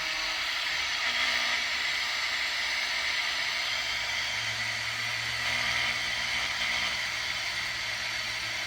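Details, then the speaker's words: Unitra Eltra Alicja R-701 radio, long wave already dead: on FM, tried on both station programmer presets with a wire antenna, only steady even hiss, no station received; signal-generator test of the 65–73 MHz tuner next. "niestety również cisza tak więc w chwili obecnej nie odbieramy Nawet żadnej stacji"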